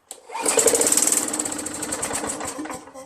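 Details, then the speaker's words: Craftsman 21" push mower, Tecumseh 5.5HP, starts only when primed, after a Mechanic in a Bottle treatment: catches with a rough putter, runs a few seconds, then fades out; a varnished, gummed carburetor is suspected. "still doesn't work. I mean, look, the carburetor's jammed with gunk and gel and varnish, whatever."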